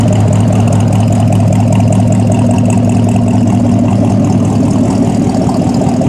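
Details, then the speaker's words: Fresh stock Ford 302 V8 (dyno'd about 258 hp, 308 ft-lb) swapped into a 1964 Ford stepside, heard from the tailpipe: deep, steady burble, even pulses, no misses or ticks; 160° temperature, 50 psi oil pressure, charging; healthy idle. "Temperature sits at 160. Oil pressure 50 lb volts fully charging. Sounds good when you sure you can hear that or not, but sounds pretty good."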